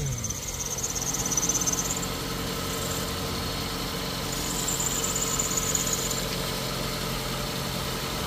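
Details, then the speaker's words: Ford Figo petrol/CNG after head and valve work, just restarted, idling smoothly with no hunting; a thin high-pitched squeal comes and goes on top, belt squealing, checked with water from a bottle: drive belt squeal. "Belt आवाज कर रहा है कोई चीजी चीजी की थोड़ा पानी ले आना बोतल में"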